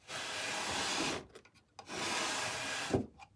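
Two long dry rasping slides, each ending in a soft knock, as a wooden drawer drags on its runners.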